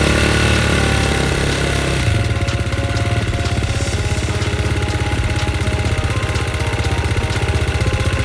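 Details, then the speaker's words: KTM XC-F single-cylinder after boost start, cold start fitted, before top-end ring break-in: fires and settles into steady fast even beat around four pulses a second, music behind; running fine. "But, I mean, that fired up no problem once it had enough, you know, once it cranked over fast."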